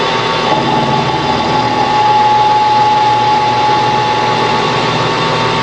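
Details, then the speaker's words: Lathe turning a new square-drive auger end piece for a small meat grinder at about 1000 rpm: steady metallic cutting ring with a faint rough flutter as the tool catches only part of the circumference, an interrupted cut, before it cleans up. "interesting because you you can hear that interrupted cut"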